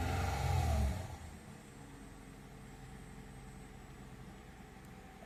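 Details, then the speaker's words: Lexus ES350 bought from impound, about 184,000 miles, warning lights for tire, ABS, brake, engine and AFS on dash; brief blip then quiet, steady, even hum with no knocks or misses, idling smoothly. "Yeah, see it's idling fine."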